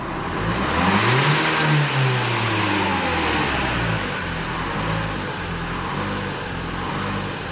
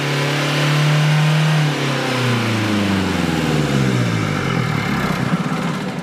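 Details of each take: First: 2016 Renault Kadjar 1.5 dCi (K9K) diesel, stationary, accelerator planted: revs climb briefly then sag and labour with a heavy drone; airflow reads 470 against an 800 reference. Restricted intake airflow from a reversed air filter after a service. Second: 2016 Renault Kadjar 1.5 dCi that would not rev after a service, with the air filter refitted correctly (a wrong-way filter possibly letting its fibre mat be sucked toward the airflow meter): climbs smoothly, falls back and picks up cleanly; revs freely.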